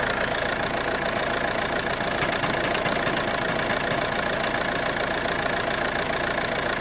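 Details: Ford C-Max at idle: quick, fairly regular knock about twice a second over a hissy, rattly background; owner suspects the flywheel, cause unconfirmed.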